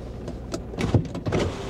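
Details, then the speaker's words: At auction: the driver's power window gives a short motor whir and a thump as the glass stops. It works, though the other windows do not. Normal power window operation. "None of the windows are working other than the, yeah, the driver's window is the only one that seems to work."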